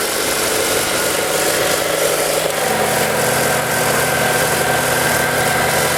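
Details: Ford Lynx, previously crank-no-start with no fuel pump power or injector trigger, traced to the crank sensor giving no signal: after repair, steady even idle with smooth low hum, no misses or knocks; running normally.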